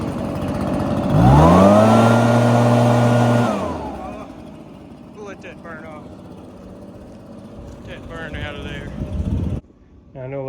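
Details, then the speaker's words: Echo backpack leaf blower, found discarded and locked up, now running: catches quickly and revs cleanly, holding a steady even high note before dropping away; runs fine though very smoky. "well there you have it how long did it take 10 minutes thing runs great it's just uh very smoky because of the transmission"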